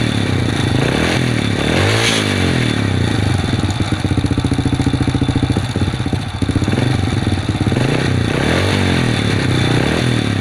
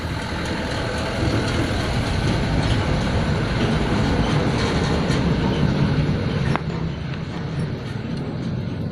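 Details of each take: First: Supra underbone moped that would not start, after cleaning and tuning: small engine idles loudly with a few rev blips and settles back evenly, running acceptably. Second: Honda Supra underbone motorcycle that is hard to start: after a part is replaced, the engine catches and runs ragged with uneven firing for a few seconds, then dies. Valve clearance adjustment follows.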